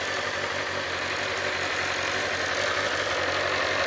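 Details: 2007 Kawasaki ZZR600, carbureted DOHC inline four, brought back after being dropped. Steady, even idle with a light buzzy exhaust note and no knocks or misses. Normal idle.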